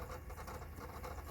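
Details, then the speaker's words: Sony Mini DVD camcorder disc in an old duplicator: quiet, fast rattling pulses about five a second; disc may have manufacturer defects; optical drive struggling to read disc. "Hear that rat? It sounds like it's rattling inside. It's having a hard time reading that."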